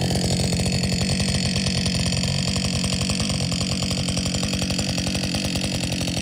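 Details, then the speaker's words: Husqvarna 562XP chainsaw, after the shop reflashed its software for dying when hot and stumbling, warm after a lunch break and refuel: fast, even burble at idle with no stumbling or dying; normal idle, better than it has run in a long time. "so far as idling fine what do you think will it idle"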